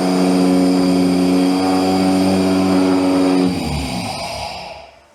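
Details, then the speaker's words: Brand-new engine just fitted with an ECU running a basic startup tune: a smooth, steady idle held noticeably high, then cut off. The stock computer still drives the idle control motor, and the faulty idle motor is being fixed. "All right, so it sounds good. It sounds nice and clean. There's no popping and carrying on."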